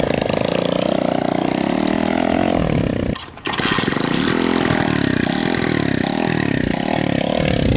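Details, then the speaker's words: 1970s motorcycle found in the woods with a replacement engine, just got spark after wiring fixes: small single revving up and down with a brief stumble and near cut-out; running rough, cause unknown. "okay yeah there's definitely something wrong with it"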